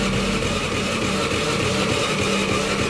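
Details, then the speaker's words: Honda Beat FI that is hard to start on the electric starter but starts immediately on the kick starter: it cranks with the throttle held open and roars unevenly but won't catch and settle into a steady idle. Ignition is to be checked next. "jadi untuk kasus seperti ini kalau misalkan di starter e dia enggak langsung ngangkat tapi kalau misalkan di engkol dia langsung ngangkat"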